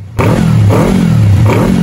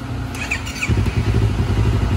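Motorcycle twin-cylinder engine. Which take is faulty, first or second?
first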